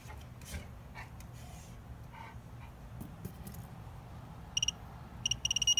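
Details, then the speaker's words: AC Delco torque wrench adapter on a regular socket wrench, set to peak mode; faint quick beeps speed up and merge into a solid tone when the set torque is reached, slightly overshot. "So, oops, I went a little bit over. But anyways, when it started sounding solid, that's when it was at the torque setting."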